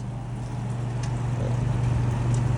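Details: Bonaire Durango evaporative cooler after replacing the water pump, water visibly flowing: smooth, even low hum with no knocks or rattles; pump and fan running normally.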